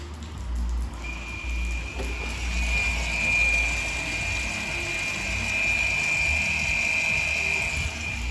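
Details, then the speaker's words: VW Tiguan rear electric parking brake calipers opened by scan tool brake pad change function before pad replacement: steady high whir for about seven seconds as both caliper motors wind back smoothly; retracting normally. "can hear that winding back brake calibers are now opening with 30 seconds after the brake calibers sto moving before carrying out the next step"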